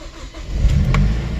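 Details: 2008 Mazda 3 speed 2.3L turbo after high-pressure fuel pump replacement, ignition cycled to prime: engine catches after a short crank and settles into a steady, even low rumble with no misfire; starts and runs normally.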